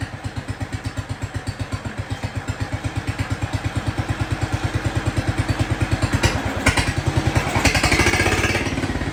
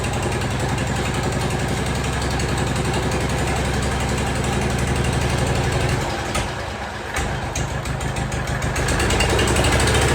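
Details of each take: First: Jacobsen Chief 1200 tractor, cast-iron Kohler 301 single, after sitting about 3 years; aftermarket Chinese carburetor adjusted. Steady, even idle thump that gains a little speed toward the end, with no misses or stumbles. Normal idle. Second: Jacobsen Chief 1200 tractor, cast-iron Kohler 301 single with an aftermarket Chinese carburetor, run after 3 years sitting: an about 4-beats-per-second thump stumbles briefly as the throttle opens, then picks up; hesitation on throttle-up, carburetor then adjusted.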